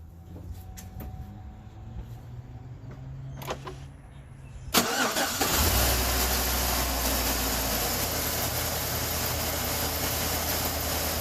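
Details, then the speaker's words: 2013 Chevy Suburban 1500 5.3 after replacing the belt tensioner, whose pulley bearing had failed and caused a loud squeak: some clatter, then the engine fires and settles into a smooth, steady idle with no squeal or chirp from the belt. "There you go. Quiet as a mouse."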